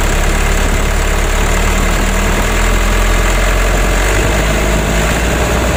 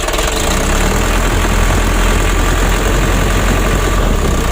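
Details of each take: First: Mitsubishi 120 PS (Ragasa) diesel after nozzle service and replacing both left and right engine mounts with genuine parts: steady, even rumble with gentle rev rise, no knocks or shudder; engine shaking and cabin wobble at part throttle when hot now cured. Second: Mitsubishi 120 PS Ragasa diesel, cab raised: loud uneven clatter and lumpy misfire at part throttle, shaking worsening as engine heats; traced to worn injector nozzles and Bosch injection pump plunger misadjustment.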